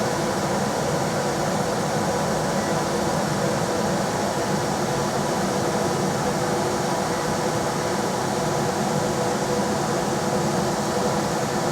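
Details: Rheem RBH residential air handler after its squeaking, non-serviceable blower motor was replaced with a 1030 rpm motor (old one 825 rpm): on high there is a steady, even rush of airflow with a smooth hum and no rubbing, ticking or wobble. Normal blower operation.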